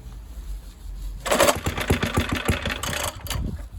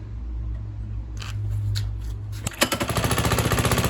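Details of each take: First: Suffolk Super Punch 17-inch mower, about 42 years old, started for the first time after choking: a quiet stretch, then it catches at once and settles into a steady, even firing beat; engine starts and runs. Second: Suffolk Super Punch 17-inch lawnmower: small single fires and chugs unevenly about two and a half beats a second, then falters and dies; spark confirmed okay, owner suspects carburetor needs cleaning.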